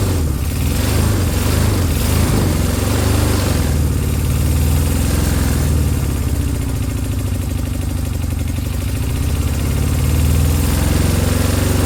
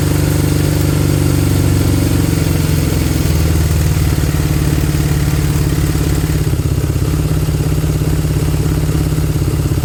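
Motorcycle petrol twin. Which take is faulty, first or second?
first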